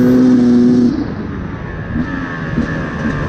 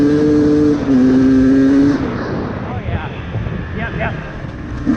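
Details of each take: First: 2024 Beta 250RR Racing 2-stroke enduro with a Lectron carb, revved out: a clean moment, then uneven blubbering sputter at top end/full throttle from a rich mixture; fix is adjusting the power jet. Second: 2024 Beta 250RR Racing 2-stroke enduro with a 38 mm Lectron carb that ran rich, flooded and fouled plugs, after metering rod and power jet adjustment: revs climb and fall sharply, pulling cleanly to full throttle without bogging.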